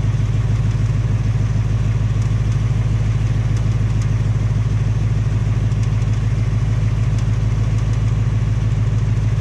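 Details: 2018 Mustang GT on its second Ford engine, at only 1200 miles, idling. A steady V8 idle with a faint, regular ticking on top: tapping/knocking of unconfirmed cause; Ford is fitting a third short block.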